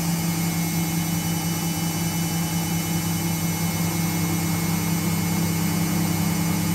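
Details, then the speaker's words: 2001 5 kg, 600 rpm washing machine spinning with a full load of over 5 kg, in a drum-bearing replacement job; machine had been very noisy: steady, even hum with no rumble or grinding, slightly noisy due to age. "makinenin sesini duyuyorsunuz baba ve ekstra zerre kadar Selçuk sadece makinenin çalışması makineli 2001model olduğu için biraz daha gürültülü çalışan"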